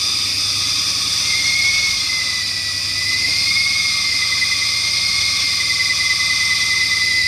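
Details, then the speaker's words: 1996 Ford Mustang GT V8 just after first running on gasoline alone, smoking from exhaust: steady high belt squeal over hissy idle, pitch wandering, easing off as the engine smooths out; belt squeal after start-up. "I see the the belt noise let me get off this the belt noise is quieted down now it's starting to smooth out a little bit"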